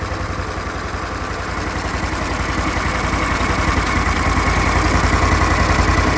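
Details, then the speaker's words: Briggs Vanguard repower in a Kawasaki Mule, restarted to check for earlier smoke, kill switch not yet wired, weak battery cables: steady, even thumping at about 214 pulses a minute with no misses or knocks; it runs good. "It's not doing anything unreasonable."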